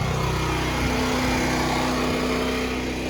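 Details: Westinghouse WGen9500DF generator after break-in, running a 4-ton AC/heat unit with no soft or hard start kit: steady, even engine drone with no surging or hunting, holding speed firmly under the heavy load; normal running.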